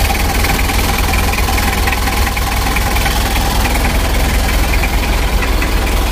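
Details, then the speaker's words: 2000 Mitsubishi L300 diesel, freshly rebuilt engine at first warm-up with injection pump set strong: hard, dry rattling clatter at idle with sharp knocks; mechanic plans to retard timing back to standard; diesel knock from advanced injection timing. "suaranya agak kering ini terlalu kuat tenaganya nanti mesinnya takutnya gak tahan lama teman-teman ya"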